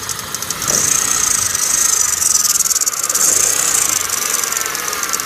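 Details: 2009 Kia Cerato engine at idle: fast, even metallic ticking over a steady idle hiss, keeping a constant rhythm. Engine knock, source not identified.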